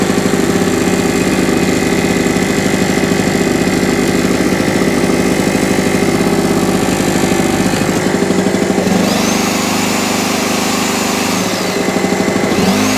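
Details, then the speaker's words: Small generator, single-cylinder, after carburetor clean and new spark plug, started on choke: steady even fast beat, no misfire or surging; running normally. "Yeah, baby. Yeah, baby. Happy as pig in poop."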